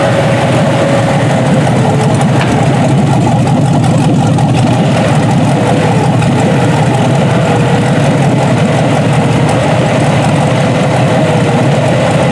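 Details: Junkyard 6.0 L Chevrolet V8 from a 2002 Chevy truck pulled from a mud hole (no water in oil), first test run on a test harness. Even, steady deep idle rumble with no knocking or misses; normal healthy idle.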